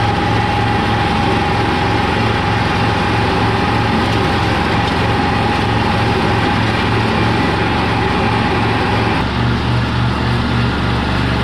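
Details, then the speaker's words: 1985 Kubota T1600 diesel garden tractor, 290 hours, running during test drive after hydraulic transaxle repair: even diesel clatter about three pulses a second, no misses or knocks; engine runs flawlessly, normal running. "well all right guys this uh this thing seems to be working pretty good I mean the engine on this thing just I mean it runs flawlessly I I love this engine"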